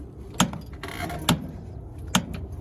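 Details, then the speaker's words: Yellow Jacket torque wrench tightening a flare nut on a Fujitsu 9k BTU ductless mini-split install (AOUG09LMAS1/ASUG09LMAS1): four sharp, crisp ticks over a faint hum as the wrench breaks over at set torque. "once this thing makes that little tick sound we know we're at the right torque"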